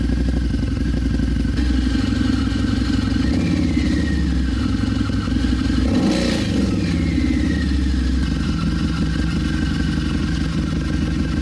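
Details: 2014 Harley-Davidson V-Rod Muscle just after installing a Dynojet Power Commander 6 piggyback fuel tuner; even, lumpy V-twin idle with a couple of clean throttle blips rising and falling, no misses or clatter. Normal idle and revving.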